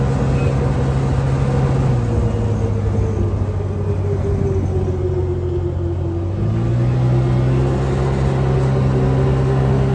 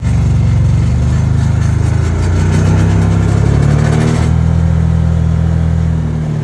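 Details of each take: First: Can-Am Commander side-by-side under way, 10 months after driveline fix with new carrier bearing and heater hose: steady engine drone dipping and rising with throttle, no driveline rattle. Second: Can-Am Commander UTV before repair: a loose, fast metallic driveline rattle over the engine drone, from a worn driveshaft carrier bearing; fixed by fitting a new carrier bearing plus a heater hose after drilling out the rivets.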